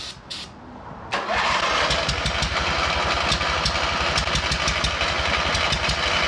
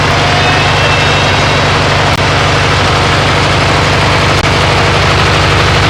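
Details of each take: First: Abandoned MTD mower twin engine started on ether before the fuel line is replaced: uneven lumpy chuff about four beats a second, firing on only one cylinder; head gasket seen leaking. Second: MTD riding mower twin-cylinder engine running after head gasket replacement and swapping an aluminum flywheel Woodruff key for a steel one; steady low rumble, even firing, no knocks or misses, needs more choke, burning off oil and mouse debris smell; normal running.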